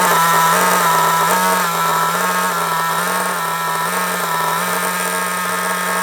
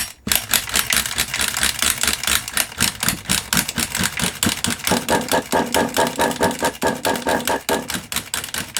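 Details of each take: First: Kyosho MP9 nitro RC buggy after tick-over screw adjustment: a high, steady buzzing idle with only slight waver that holds without stalling, staying solid even when braking. Idle is now correctly set. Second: Kyosho MP9 nitro RC engine, first start after 2 years, glow starters tested good: rapid rattly cranking bursts, about two a second, never firing; owner suspects no fuel reaching engine; cranks but won't start.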